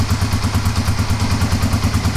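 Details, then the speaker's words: Kawasaki KLR250 single with about 4,500 original miles, cold start on choke with no throttle: even, quick, steady thumping with no misses or stumbles; clean, healthy cold idle. "That's choke on. Choke on. It's cold. Look at that. I can still touch the header."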